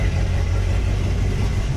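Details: Corvette (C5/C6) V8 just after Texas Speed cam, dual valve springs and valve seals install, first start burning off oil: deep, choppy, loping rumble with uneven beat, steady; normal healthy cammed V8 idle.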